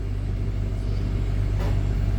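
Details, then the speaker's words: Repaired generator in a 2019 Allegro Red motorhome, batteries bulk charging adding load: deep steady rumble with even low pulsing holding firm as load comes on, no hunting or misfire; normal running under load. "oh hear that generator kick up put a load on that generator now"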